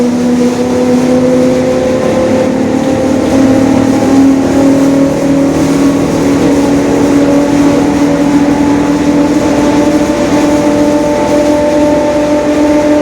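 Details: 2021 Marcopolo Torino S lengthened city bus on a Mercedes-Benz OF-1721 Bluetec 5 diesel chassis, recorded while pulling along. A steady low growl rises slightly in pitch with speed: a growling rear differential.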